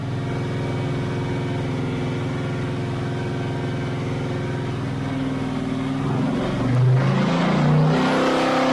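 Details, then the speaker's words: Chevy LT1 383 with a quiet street cam and unported LT4 heads on an engine dyno, pulling hard from 3200 to 6200 rpm, then briefly stumbles near the top; owner suspects an ignition-related loose wire, never found. "yeah did you hear that little hiccup I think that was a recognition related here it is again"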